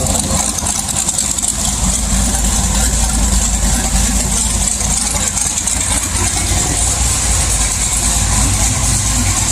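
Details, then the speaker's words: LS1 V8 swap car with sloppy stage 2 cam, HP Tuners idle tuning after wideband fitted and AFRs corrected: steady, even deep burble with no misses or hunting; starts much better, healthy idle. "let me fire it up and show you how good this car is running now with the afr's looking good it starts up so much better now and just it sounds [Music] healthy"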